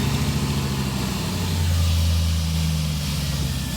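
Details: 2002 Jeep Cherokee 4.7 V8, 60,000 miles, no-crank fixed temporarily by jumping the starter relay (new starter fitted); catches and settles into a steady, even low idle with no misses or knocks.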